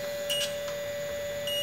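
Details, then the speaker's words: PlayStation 2 Fat that won't power on green, multimeter continuity test across a capacitor: short high beep then steady tone; board still shorted, a shorted IC suspected. "masih bunyi kalau kondisi masih bunyi berarti belum terpisah antara sopnya ya"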